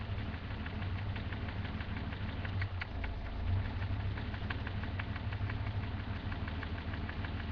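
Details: BMW M30 545 turbo engine at idle, recorded from the top of the engine: a light, regular knock over a low, steady drone. The cause of the engine knock is unknown.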